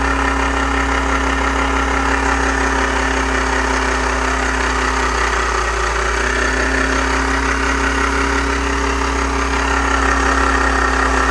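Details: Volkswagen AP 1.8 engine: steady idle with an uneven light knock about three times per second; owner asks what it could be, cause unknown; abnormal engine noise at idle.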